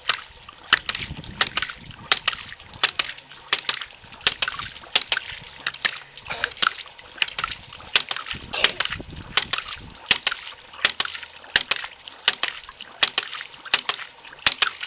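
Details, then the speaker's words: Gravity-driven ram pump with about 4 ft of fall from the source bucket: after the valve is cracked open, the second valve makes crisp, even clicks about every three quarters of a second; normal cycling. "Now we'll crack this valve here, and you'll hear the second valve start clicking."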